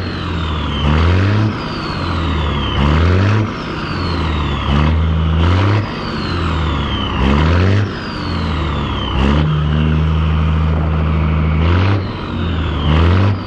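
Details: 1962 Peterbilt 351 with Caterpillar 1673 diesel after swapping to the correct Cat 1674 turbo and adding two stacks: revs up and drops back about every two seconds, deep steady note; normal running.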